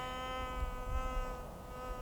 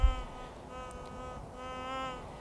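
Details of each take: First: White's GMT metal detector on auto track, after ignoring an iron target: steady buzzy threshold holding even with no wavering or chatter; clean, stable threshold. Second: White's GMT metal detector on auto track, sweeping ground: steady threshold hum with a brief tonal rise that vanishes within 1 or 2 pumps; hot rock, not metal.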